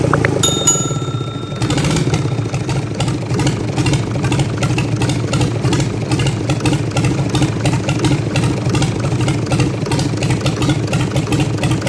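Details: Fiat 450 tractor engine, first start after rebuild with piston and ring assembly fitted and timing gears set to marks: an even, steady diesel beat settles in after start-up with no knocks or rattles. Normal idle.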